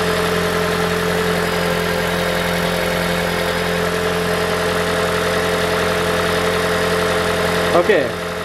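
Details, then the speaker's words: 2012 Toyota Prius V 1.8L 2ZR-FXE hybrid idling steady and smooth after replacing loose exhaust heat shield that caused metallic rattle; noise gone. "okay guys uh finally we done the job i started the car already so nice we couldn't hear the noise you know it's gone"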